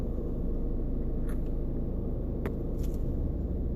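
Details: VW coasting to a stop in neutral; steady low rumble with loose, uneven rattling vibration seeming to come from the center console, owner likens it to a transmission bearing; issue ongoing, source unclear.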